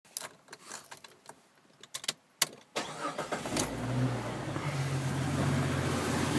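Clicks, then the engine cranks and catches into an idle that pulses unevenly around four beats a second instead of settling smooth; rough idle.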